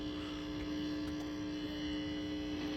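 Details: Original Asteroids Deluxe cocktail table, first power-up on the bench: constant unchanging low buzzing hum through the speaker, suspected coming off the board; ground loop hum from bad ground.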